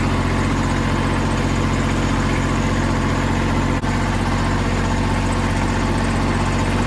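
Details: Kubota L3000DT diesel tractor with a good used replacement engine, serviced: constant, even idle clatter with a steady low rumble and no knocks or misses; normal healthy idle.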